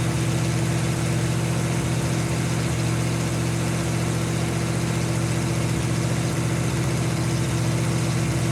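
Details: 1952 Ford F-1 old six idling steadily and evenly, with no knock or miss, on its first start in 28 years. Gasoline-diluted oil was drained, sludge cleaned out, carb rebuilt with new power valve, PerTronix ignition, new plugs, wires, cap and rotor. Caught with more air, less choke.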